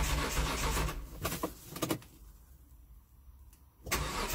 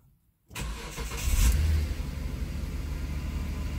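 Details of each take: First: 2005 Hyundai Santa Fe 2.7 V6 with start-then-stall problem, after new in-tank fuel filter and refitted pump-outlet O-ring, priming: short burst, pause, then steady cranking about four beats a second that never fires. Cranks but no start; fuel pressure regulator to be fitted next. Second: 2005 Hyundai Santa Fe 2.7 V6 (SM), next day fully reassembled after fuel filter repair: primed cold start catches within half a second, brief rev, then smooth even low idle; no longer starts and stalls.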